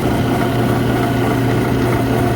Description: So this was a big picture find while working on a bar reach in I heard a loud noise coming from their exhaust fan and investigated a bit and found that the motor bearings were going bad.